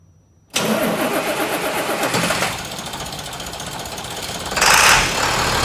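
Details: International 4300 truck with a DT466 diesel, started after its coolant surge tank was replaced. A brief crank, then it catches cleanly and settles into a steady, even diesel idle with no knocks or misfires. Normal start and idle.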